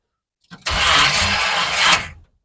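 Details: Classic Chevy Apache truck after rewiring, first key start: short burst of brisk, even cranking for about a second and a half, starter spinning the engine freely; normal starter cranking.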